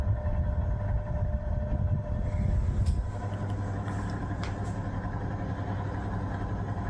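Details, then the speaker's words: 1973 National F-30AAD table fan, first run after purchase: low steady motor hum, sluggish and under speed; slow running blamed on dried grease in the bearings and gearbox. "we're going to do the first run since bringing it back home of the national f30 aad seems a bit slow no weird"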